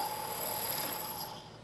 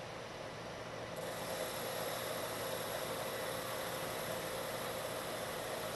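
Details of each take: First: Lathe turning a long thin part: shrill, bell-like ringing chatter as cutting forces deflect the part, which rides up onto the tool and vibrates, leaving an irregular surface finish; fix begins by machining a center in the end. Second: Lathe turning a long thin part, same depth and speed as a chattering pass but now supported by a machined center: steady even hiss with no chatter, giving a better surface finish.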